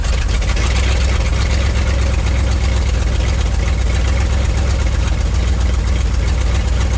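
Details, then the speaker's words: Ford dump truck bought at auction, restarted with fresh gas: deep steady even idle rumble, no misses, knocks or surging, good oil pressure, no throttle input; runs smoothly. "nice we got good oil pressure no throttle but I mean it's idling man that thing runs"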